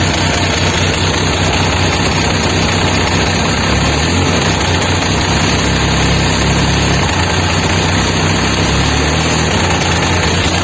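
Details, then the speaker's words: Benelli 899 three-cylinder motorcycle engine running with a heavy, fast, somewhat irregular knock deep in the block from a damaged connecting rod bearing, attributed to lack of oil; causes may include oil filter or pickup. "nous avons déjà un idée du son d'un moteur lorsqu'il présente un bruit de bielle ou de coque de bielle qui est le produit d'un manque d'huile dans le moteur"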